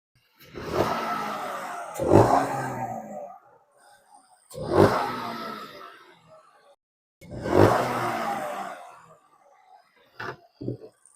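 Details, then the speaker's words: 2024 Chevy Trax RS, 1.2L three-cylinder turbo, 73,000 miles, check engine light with P0299. Helper blips the throttle three times while listening by the engine. The note swells and falls cleanly with no hiss or whistle as boost builds, so no audible boost leak. "Yeah, I don't hear anything. Okay, we're going to shut it off."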